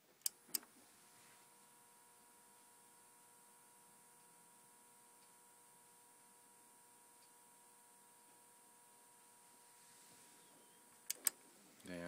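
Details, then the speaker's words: Sony TC-K590 cassette deck (about 1992): its always-running 12V DC capstan motor makes a steady high whine with a thin hum, likely from being left on for long periods; motor replacement planned. "I think that with both of these that I've picked up at boots house they've been left on for considerable length of time and are quite noisy this is the worst offender of the pair and this makes quite a racket listen to this"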